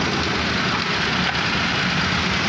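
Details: Suzuki Cultus after tappet adjustment, spark plug, carburetor and points check; it runs at a steady, even idle with no misses or tapping: normal idle.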